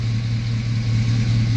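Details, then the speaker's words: 1999 Chevy Silverado 1500 Z71 with a 5.3 V8: deep, even low rumble with a steady pulse and no ticks, misses or piston rock; smooth, healthy normal idle. "God, it runs smooth."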